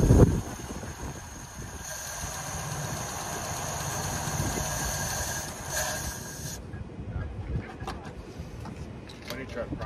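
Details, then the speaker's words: Long-sitting 1954 Ford Mainline, warming up at idle with a vacuum-leak check planned and the radiator low: old petrol engine with a steady, even idle and no ticks or clatter, sounding healthy. It ran only briefly because the fuel pump wouldn't work. "so as you guys seen car actually runs really good sounds pretty good nice and quiet no ticks no clatter nothing like that"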